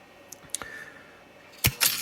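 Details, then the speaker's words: A dime and a nickel drop with sharp clicks and a quick lever clatter; the lever moves three times at a 15-cent vend price with no change given, in a 1957 Cavalier CS-96 Coca-Cola machine's NRI Simplex 2 coin mechanism. Normal cycle. "it bended the lever moved three times but because it was 15 cents it didn't give any change"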